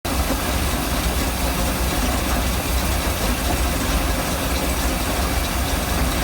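Deep, loud idle that sounds uneven and lumpy, with no steady beat; the V8 is running rough at idle, cause unclear.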